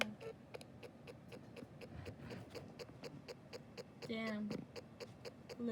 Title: Low battery Vtech Ferris wheel toy malfunctioning/making weird noises